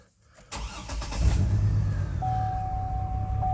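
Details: GMC Envoy with 251,000 miles and a camshaft position sensor code after heavy rain: it cranks, then catches into an uneven, lumpy low idle with a steady chime on top. The owner hopes the cam sensor is the cause; this is unconfirmed.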